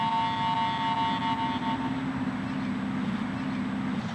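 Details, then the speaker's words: AT Pro International metal detector after automatic ground balancing: only a steady low hum after the first tones fade, with no ground chatter; properly ground balanced. "I'm not getting that ground reaction. I've got good, clean, huntable, situation here where I'm not picking up the ground."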